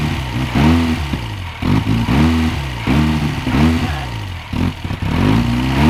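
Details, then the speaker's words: 1969 Reliant Regal 850cc engine on bench test: uneven running surging about every 1.5 seconds with some clatter, as if running on three cylinders. Mixture suspected, not confirmed. Rough running. "it's not smooth it's like it's running on three cylinders or something"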